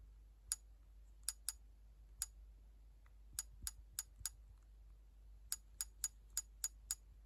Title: PSP clicking sound